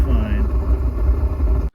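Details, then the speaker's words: 5-year-old Suburban NT-20SQ RV furnace in a travel trailer, failing on a cold winter night: after running about 15 seconds the flame went out. On relighting it gives a loud, deep, unevenly surging roar, far heavier than a normal burner. Abnormally loud furnace operation. "so the heater's gone haywire on me so i'm gonna have to pull it apart and see what's wrong so right now it's just sitting here and then it's gonna fire up again so listen for the fire hear how loud it is"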